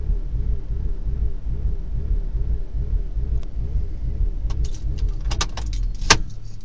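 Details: BMW Z4 petrol engine with a rough idle: low, uneven throb, with metallic clicks and jangling near the end.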